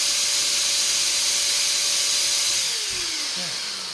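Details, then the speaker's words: Multipro ESP99HP electric spray gun motor, head removed, running open with original bearing, meter at the motor reading about 110 dB (ambient about 50); loud steady high-pitched hiss and whine, smooth and even, then winding down; normal motor running. "angka 110 ya di angka 110 DB dia dalam kondisi terbuka begini langsung di mesinnya nanti Tentu aja kalau udah udah dirakit di dalam mesin di dalam apa di dalam dia punya bodynya pasti nanti akan suaranya kan pasti akan lebih kecil lagi gitu ya"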